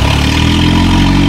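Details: Honda-powered demolition derby car just after its fuel pump assembly was rebuilt: running with a steady, even low rumble, no misses or stumbles, holding a smooth idle.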